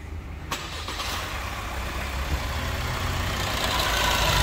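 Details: Opel Astra K at 169,000, first start after timing chain noise repair: starter catches almost at once, then an even, steadily building idle with no knock or rattle; healthy start.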